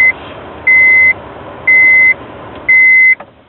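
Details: Honda Ridgeline truck won't start: four steady high beeps, about one per second, each half a second long, no cranking follows; battery charger shows no charge, green key light flashing.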